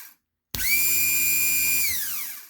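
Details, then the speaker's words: HWH RV hydraulic pump motor RAP91244, bench test after carbon brush replacement: brisk spin-up to steady high whine, holds about 1.5 s, winds down smoothly; motor running normally. "Sounds good."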